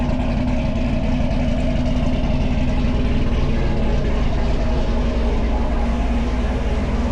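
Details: Freshly swapped 1000+ hp V8 in the Camaro, first run with oil pressure 45 and oil pump primed: deep, steady, loping but even idle with no knocks or ticks; normal idle.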